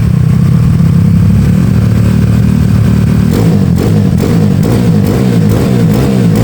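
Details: Honda Beat carb scooter bored to 130cc, 2+ years daily use, PE26 carb, slightly raised compression, racing exhaust, checked up for touring: even idle then several quick crisp blips, no rattles; smooth and healthy.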